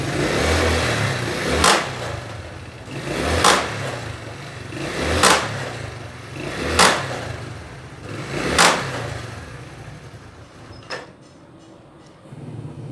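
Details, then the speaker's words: Chinese-made motorcycle engine revved in surges about every two seconds, with a harsh metallic clatter like something broken in the drive, loud when releasing the clutch or climbing; suspected gears, clutch plates or sprocket/chain, not confirmed. "आवाज़ देखिए कितनी ज़्यादा इसमें आवाज़ है, ऐसे लगता है कुछ चीज़ इसमें टूटी हुई है।"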